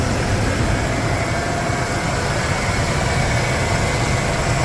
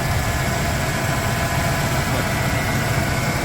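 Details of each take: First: 1995 Ford F150 V8 after an oil change, hot, idling outdoors: a steady, even idle with no knock or tick, the fan and belt louder than the engine, slightly hesitant on the throttle. A normal idle; the earlier tick has improved. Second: 1995 Ford F150 V8, hot at idle after an oil change and test drive; the power steering fluid is a little low from a known leak. A faint constant whine over the low rumble, suspected to be power steering pump whine.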